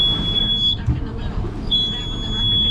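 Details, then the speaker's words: Hewescraft boat with twin Honda outboards, batteries run down and engine labored to start: high-pitched steady beep, about three-quarters second on, one second off, over engine hum; low battery voltage alarm expected to stop once charged. "So once this gets charged up, that alarm should go off, that high-pitched beep, which it sounds like it started to right now."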